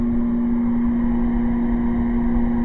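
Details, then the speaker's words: Air conditioner on high, powered by solar through an inverter: a constant low electrical buzz at one steady pitch over the fan rush while it cools. Source of the buzz not confirmed. "now I'm just showing you will it work and let's put that on high there you go and you can hear the buzz in the home [Music]"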